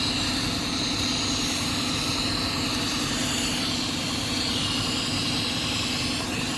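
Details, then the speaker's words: 2006 Cadillac STS 4.6L idling with a constant airy hiss, a vacuum leak at the back of the engine with low mass airflow readings; its hose clamp had cut through the hose. Codes include P1101 and P0068. "It sounds like we have a leak back here, guys. I don't know if you can hear that. Definitely sounds like a leak."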